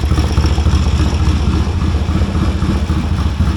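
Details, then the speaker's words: 1970 Triumph T100C twin, idling and in first gear with a loud, raw, rapid popping unmuffled exhaust note like a straight-through pipe; oil drip underneath. "Well, first gear works. Sounds like another straight through pipe."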